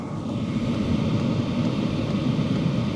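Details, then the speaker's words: Vevor Compact diesel heater after modification, down to 62-63 dB from 72: soft even blower rumble with no sharp ticking standing out; normal quiet running. "So we're down to about 62, 63 dB. So we've dropped the sound by 10 decibels. That's pretty significant."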